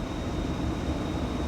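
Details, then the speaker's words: Chevrolet Corvette C4 (1992 or later), key out and engine off: steady, even airy whoosh as the blower motor keeps running, fed by a shorted blower motor module (blower resistor); fixed by replacing the module. "that's off we're running that's our symptom right there so obviously engine's off"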